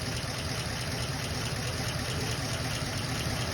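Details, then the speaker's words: 1934 Ford coupe flathead, original semi barn find sitting 20+ years, now on 6-volt positive ground: low, even burble at slow steady idle with no misses, ticks or knocks; normal healthy idle. "pretty much perfection. I got three Model A's and they're on six volt positive ground and never had an issue with them."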